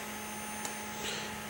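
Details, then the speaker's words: Non-working Neo Geo 4-slot arcade cabinet in test mode: a faint, constant electrical buzz with a low hum underneath that never changes, source unknown. "And you can still hear the buzzing. I don't know where that's coming from."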